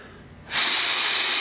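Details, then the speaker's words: 2004 Subaru WRX blowing oil through exhaust, PCV valve removed and blown through by mouth: brief breathy hiss as air passes one way only, blocked the other; PCV valve working, turbo still suspected. "there's no bypass at all because of valve and there's actually closing it off to go through there because otherwise all the boots would just be going into the case so that's working properly so I'm not really worried about that"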